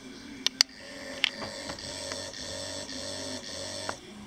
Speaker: the vibration correction there's two levels of vibration if you push it once it vibrates if you push and hold it it will do it six times